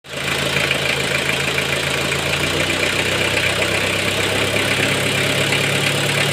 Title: A Toyota 1C-II diesel engine with an aged timing belt/drive belt. Somehow makes a strange noise.